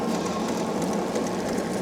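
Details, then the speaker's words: Andsky Gravita LS e-bike (750 W motor) ridden on pedal assist 4: light regular high ticking repeating with wheel speed over the motor hum; rider suspects a bent spoke hitting the brake caliper. "is hitting the brake caliper. Sounds like to me."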